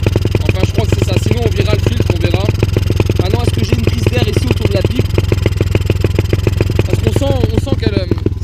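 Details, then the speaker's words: 125 cc dirt bike, not yet fully warm, pulling away in first gear: smooth at idle but revs with ragged, uneven firing pulses and stumbles on acceleration; owner suspects the fuel hose routing. "now I put it on 1 we left super smooth we can hear it there so really good but as soon as I accelerate it seems like we are having a misfire"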